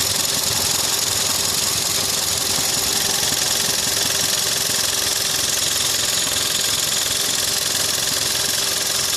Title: VW 1.4 TSI 122PS (CAXA) engine noise